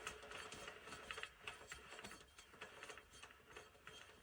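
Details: Gritty, uneven clicking and rasping as the hub is turned by hand, from a worn-out wheel bearing, a possible cause of shaking down the road.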